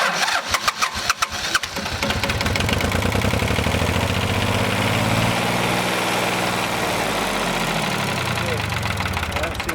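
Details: 1988 John Deere 950 (Yanmar-built) diesel tractor after a fuel filter change and bleeding the injector lines: ragged, uneven firing evens out into a steady idle within seconds as air clears; owner suspects a little air remains.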